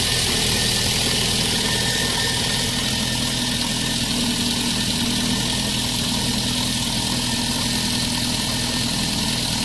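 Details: Lada 1.6 8-valve 11183 engine, which had a knock when new that quieted once warm and later knocked hot, fixed by swapping CCCD pistons for E; here a smooth, even idle with a steady hiss and no knocking.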